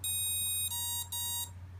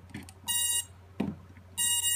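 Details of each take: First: Emax Nighthawk Pro built-in BLHeli ESC entered programming by throttle: a short beep tune, then single long and shorter beeps as it cycles through programmable parameters (brake type, timing, start force). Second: Max Nighthawk Pro ARF built-in BLHeli ESC, motor 3 held at full throttle via the motor test tab while the battery is connected: two short bursts of clean high beeps, the normal initialization beeps, then the programming tune.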